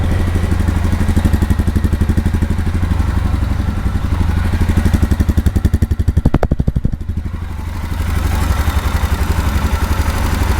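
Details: Royal Enfield Himalayan 411 after its 5th service (oil and filter change, chain cleaning): steady, even thump of the single at slow idle, no knocks or rattles; healthy engine.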